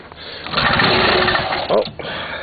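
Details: 1976 Ski-Doo Everest 440 two-stroke with Mikuni carburetor, unrun 12–15 years, lean-burned left piston, dead battery, primed: short cranking burst with a few ragged pops that die at once; fires briefly but won't keep running.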